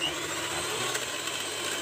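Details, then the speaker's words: Miyako hand mixer, owner reports rough sound and uneven rotation: harsh gritty rasp over steady motor whir, rotation not smooth; one gear likely damaged or worn from friction. "Dan benar saja, ini terlihat putarannya tidak lancar dan suaranya pun sangat kasar sekali. Kalau seperti ini, biasanya salah satu gearnya sudah ada yang rusak atau sudah mulai aus akibat gesekan."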